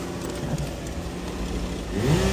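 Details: Toyota Camry 3.5, crank-no-start after sitting about a year, fixed by replacing ECU, smart key and steering lock; smooth idle then clean quick rise on throttle blips, no stumble or hesitation.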